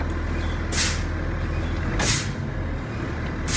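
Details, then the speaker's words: Truck during CDL in-cab air brake test, diesel idling: brake pedal pumped three times, three sharp air hisses about every second and a half; normal air brake application exhaust. "so for this test I'm going to start off by pumping the brake three attempts to lift the pressure but we're going to pump it like three times"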